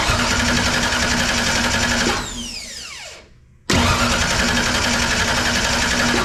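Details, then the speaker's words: 1963 Ford Fairlane with swapped-in ECM-controlled engine, fuel pump relay jumped (pins 30 and 87): starter churns steadily about four beats a second, winds down, cranks again, never catches; crank no start, owner suspects no spark and injectors not firing. "try it again try again okay so I'm betting it takes more than just uh fuel let's see if we have any spark here go"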